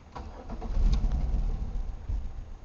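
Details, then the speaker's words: 1997 Chevy Malibu, anti-theft light on then blinking; engine catches briefly with uneven low rumble and dies abruptly, then won't restart; owner suspects theft system causes the start-then-immediate-stall, cause unconfirmed. "and that's it the theft light is now blinking and it won't restart if we try to restart it it'll do that and that's it that's all it does"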